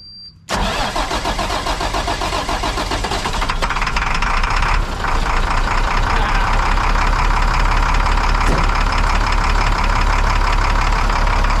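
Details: International 4900 diesel bucket truck that sat for 5 years: cranks and catches within a second, then settles into a steady, slightly rough rumble near four beats a second; healthy start and idle.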